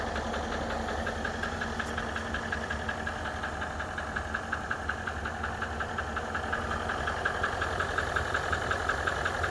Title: Range rover vogue L405 2013 Engine Knocking (Upper Right) Side